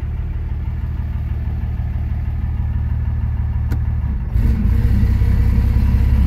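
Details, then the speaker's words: 2006 Dodge Ram 2500 Cummins diesel with 48RE automatic, held on the brake in gear: low idle drone grows louder and strains as it takes up load, with black smoke and rising EGTs; a transmission fault. "my foot is still on the brake I am not touching the accelerator so this thing lugs down starts pumping out black smoke egt start climbing up"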